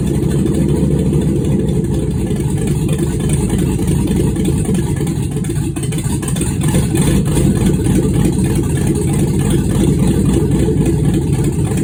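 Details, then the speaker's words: Freshly built engine, first start after wiring and grounding work, needing slight throttle and mass airflow sensor connected: loud steady raw rumble, even beat, no misses or knocks. "but it started what a relief holy cow it's been a long time to get this far"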